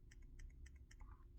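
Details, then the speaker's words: Samsung S22 Ultra 10x zoom camera module: faint dry ticking about four per second with each gentle shake; loose camera module rattling, unlike the quiet new replacement. "so this rattling noise normally happens when the phone is dropped so kindly don't drop your phone and it's going to damage this camera"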